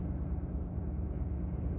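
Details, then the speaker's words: 2018 Ford F350, 6.7 Powerstroke diesel, about 209,784 miles, cold start: fires right up into a steady, even low diesel rumble with no misses or knocks; healthy cold idle. "still at 200 and what is it 209 784.2 still fires right out this truck"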